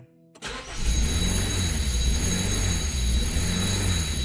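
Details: 2016 Honda HR-V with replacement engine after blown head gasket and 3 years sitting: quick crank, catches and holds a fairly steady idle with a faint background tone; starts despite disconnected parts and a suspected remaining electrical fault.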